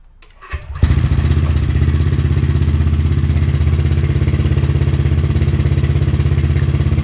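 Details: Honda ADV 150 first start after a DCR cam install, timing rechecked, coolant topped up, spilled fluid smoking: fires at once and settles into a steady thump about three beats a second, no ticking or knocking; normal start and idle.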